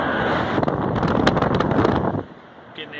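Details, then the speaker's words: Trane TWP condenser fan motor, newly replaced, on its test run drawing about 2 amps against a 2-amp rating; steady, even whooshing rush of air without rubbing or ticking: normal fan run. "test run here. We're going to start up the fan. Right at 2 amps. Fan's rated at 2 amps, so we're right on the"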